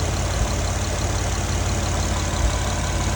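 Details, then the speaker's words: Acura MDX idling: a loud raw idle with rapid flat puffing about twice a second plus hiss. The entire exhaust, both catalytic converters and the mufflers are busted and leaking, and exhaust fumes can be smelled. "Well, it's not coming from here, that's the exhaust. You can smell it."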